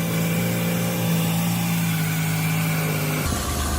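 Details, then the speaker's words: Ford Escape 3.0 V6 idling after re-threading a stripped, blown-out spark plug hole: steady, smooth low hum with a light rev blip near the end; no misfire or puffing, no plug blowing out. "Sounds good, sounds real good. Put our hand on the engine, and it doesn't feel like it's misfiring."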